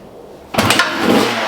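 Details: 2003 Honda CR250R two-stroke, first cold start on choke with new Lectron Pro 38 carburetor, VP Racing MRX02 premix fuel: silence then sudden catch about half a second in, settling into crisp raspy two-stroke run; clean first start.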